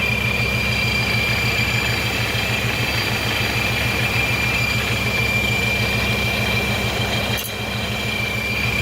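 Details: Procharger stage 1 kit car (804 hp) at idle after the belt was given clearance so it no longer rubs, the rubbing that shredded belts. Even low idle pulse with a clean high supercharger whine and no chirp or rubbing. Drive is healthy.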